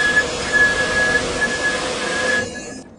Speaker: you step on the brakes, they squeak.